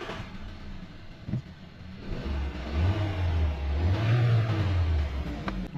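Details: 2019 Hyundai Tucson 1.6 petrol, 64,895 km, formerly misfiring cylinders 1 and 3, after first spark plug replacement and fault codes cleared: starts and settles into an even, steady hum with no stumble or shake.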